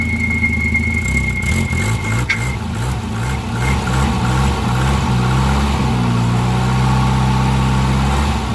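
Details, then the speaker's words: Volvo idling with a high steady squeal for about two seconds that then fades; owner suspects a bad pulley, likely the harmonic balancer, but is unsure. "Sounds like a bad pulley. It is very likely the harmonic balancer."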